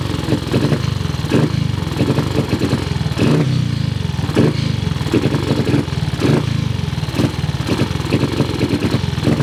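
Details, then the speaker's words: Cub single-cylinder motorcycle at start-up: uneven thumping with irregular firing gaps and hunting speed, can't settle at idle; carburettor idle screw seems too short to raise the slide enough. "And it seems that the idle screw is a little bit short. It won't raise the needle up. It won't raise up the slide enough to make it idle."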